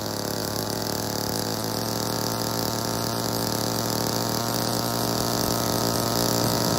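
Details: Old Homelite chainsaw, owner guesses 1960s or 1970s, running under load after reassembly and getting it running, choke off; steady two-stroke buzz holds speed without sputtering; runs properly, though the owner says it could be tuned better.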